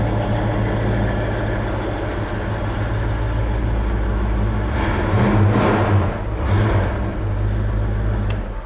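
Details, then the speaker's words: Freshly restored 1966 Ford Mustang convertible with an electronic-choke carburetor and no aggressive exhaust mod, idling through original-style exhaust tips: a deep, steady rumble with an even pulse and a brief swell mid-clip. Throaty but healthy normal idle. "it might sound a little bit noisy in the video or aggressive in the video but it really isn't once you get cruising it sounds good um it doesn't sound loud at all but it does sound kind of throaty just sitting there through those original Style exhaust tips"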